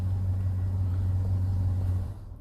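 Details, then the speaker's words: 2005 Chevy TrailBlazer, running while pink ignition-feed circuit voltage drops to 2.9 V: steady low rumble, then dies abruptly about two seconds in; stall from lost power feed to components on that circuit. "se apagó es lo que pasaba desde el principio del vídeo amigos que él a veces prendía y se quedaba ahí temblando eso es lo que estaba provocando que no había este la alimentación en todos esos circuitos"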